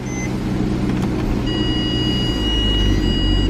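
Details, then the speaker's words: Ford E350 with 28,000 miles, front-end crash damage, at a Copart auction: it starts right up and pulls away with a steady low rumble, no knocks or rattles; it drives and reverses, sounding healthy. "Let's see if it starts. Starts right up. Not bad."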